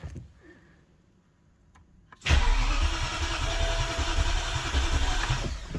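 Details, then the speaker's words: BMW E65 735i V8, first crank after engine swap with fuel pump fuse removed: starter spins the engine with an even, steady chug of compression pulses and no catch; normal cranking, good compression. "okay sounds normal we have compression we have everything okay that's a good sign"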